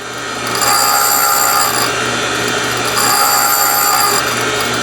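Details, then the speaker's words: Valve refacing on a valve grinding machine: grinding stone hisses in short regular bursts, about four a second, each as the feed dog tooth advances a gear; contact pattern widening, normal even refacing. "the reason that you're hearing that noise in little burst is that it it coincides with each uh time that the tooth on the dog grabs another gear and pulls it in"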